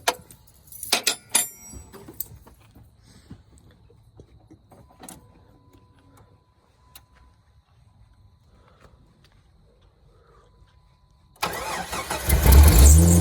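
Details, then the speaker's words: Amy's Jeep after replacing the belt tensioner pulley, which had been making horrible noises: keys rattle, engine starts and settles into a steady run with no belt squeal; healthy start after repair. "now go fire it up and see if it screams no"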